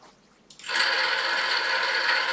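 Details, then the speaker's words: Drone motors on DShot600 channels 1-4 with bi-directional DShot on IOMCU, 5-second motor test of all motors: spin up together into a steady high whir, no rattle, roughness or dropouts; normal run. "And if I just prove that this works, we can go to optional hardware, motor test, set it up for 5 seconds, test all motors, you can hear them running."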